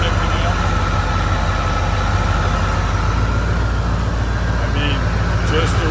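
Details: 1986 Pontiac Trans Am, 5.0 Tuned Port V8, automatic, 60,000 miles, sat in storage for years, AC converted to R134: a steady, even low rumble with no knocks or misses, and the idle barely sags as the AC compressor engages. Healthy idle.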